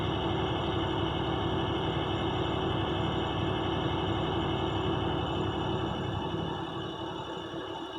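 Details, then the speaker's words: Non-CDL box truck with air brakes, morning pre-trip test: steady diesel idle with a quick, even chug of about four beats a second as the compressor builds air, gauges together heading to 120 PSI; normal pressure build. "Okay, now the gauges are together, and they should remain relatively together from this point on. And they should build pressure all the way down to 120."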